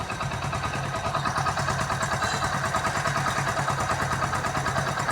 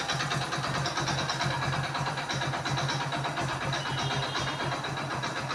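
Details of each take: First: Hero Splendor single-cylinder motorcycle after full engine repair: steady even putter at relaxed idle, about three firings a second, no knocks or rattles; engine healthy. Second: Splendor motorcycle engine, neglected servicing, little or no oil found when draining: busy rough idle with dry metallic clatter throughout; oil starvation has damaged the internals.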